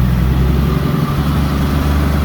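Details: Engine running again after a head gasket replacement, with the battery recharged: a smooth, steady low idle with an even beat and no knocks, ticks or misses; it idles healthily.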